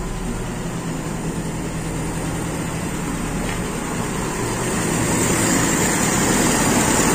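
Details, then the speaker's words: Toyota Kijang with an Aisan carburetor, first start after carburetor disassembly, not yet at working temperature: it starts immediately into an even, steady idle with a soft regular pulse, rising slightly as it settles. "settingan dingin itu berarti settingan start yang kita pakai kan normal ya kondisi panas Wah ternyata langsung menyala ini"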